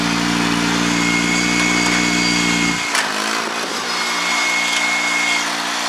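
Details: Honda 3813 liquid-cooled lawn tractor, transaxle clutch with the damper removed: a steady, even putter whose tone shifts briefly as the clutch engages immediately, then runs smoothly again. Normal.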